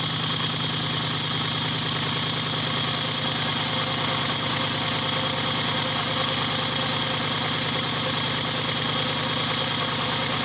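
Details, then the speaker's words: Subaru whose tick had gone away on an earlier start, oil full, microphone right under the oil pan: even, steady idle with no ticking; normal idle. "I don't know. Sounds all right."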